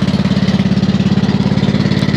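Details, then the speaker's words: Troy-Bilt twin-cylinder riding mower, 50-inch deck, 250 hours, replacement transmission: low heavy loping thump about eleven beats a second; owner suspects it's running on one cylinder (spark confirmed on one), unconfirmed. "I feel like it's not running on two cylinders it could be but I just don't know for sure"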